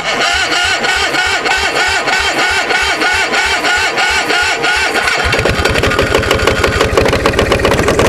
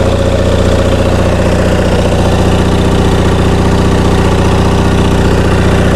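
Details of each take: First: Onan MDJE two-cylinder diesel generator starting on glow plugs with a weak starter: slow uneven chuffing, then catches and runs ragged, not hitting on both cylinders; air suspected in fuel from suction line lifted out of bucket; making about 238–239 V. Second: Onan MDJE twin-cylinder diesel genset on a temporary cooling system, generator producing only 9–10 V residual: a firm, regular thump about 2.5 beats a second, steady with no misses; a healthy idle.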